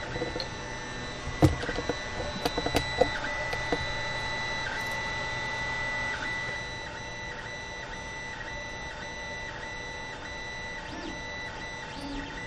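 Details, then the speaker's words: Creality Ender 5 Plus 3D printer actively printing on the original stock board: shifting high whines and chirps changing pitch with each move, clicks over a motor hum; loud stepper motor noise, before the silent-board upgrade. "i'm using the creality slicer here's what it sounds like with the original board as it's actively"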